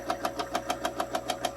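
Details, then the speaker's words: Insignia NS-IMN44BS4 nugget ice maker running with top cover off: sharp even knocks about six or seven per second over a faint hum; motor assembly feels loose and pressing it quiets the noise. "this thing feels a little bit loose and if I push a little harder the noise goes a little quietly that means something something inside there"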